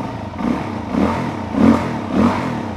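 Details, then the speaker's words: 2006 Suzuki DR-Z400S after Mikuni BSR36 carb cleaning: four crisp throttle blips about every 0.6 seconds, each revving and dropping back cleanly without bogging; healthy running, runs like it should. "seems like she runs like she should feels good man i don't want to do this again oh spent half of my saturday cleaning this out but she runs like she should"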